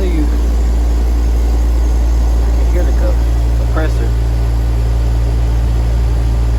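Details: Rooftop HVAC condensing unit restarted during capacitor testing: a steady, deep, even compressor hum with no stalling or clicking. Pressures are returning to normal, confirming the bad capacitor was the fault.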